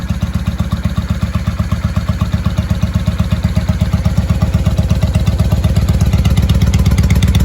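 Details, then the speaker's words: 1995 Honda Shadow VLX VT600CD V-twin, first run in years, air filter off, exhaust baffles drilled out: loud, even thumping idle at a steady loping beat with no misses or knocks; healthy but loud, unbaffled exhaust. "Oh, the baffles were drilled out of this thing. There's no baffles in this. That's why she's loud."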